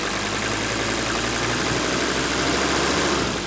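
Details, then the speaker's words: Diesel engine with weak cold running that started then quit when cold, after the fuel lift pump was rebuilt (RTV sealant had fouled the check valves): steady, even clatter with a softer injector note, brought slightly off idle, no misses or knocks, hardly any smoke; normal running. "And I'm gonna start it up now and let you hear this, because this engine's running way better than it did before we rebuilt the lift pump."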